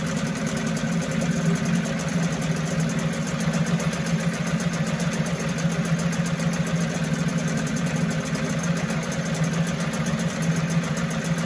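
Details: 1974 Mercury 4 hp single-cylinder two-stroke outboard, restored: busy even buzz at steady speed, rough-edged but no missed beats or knocks; normal running.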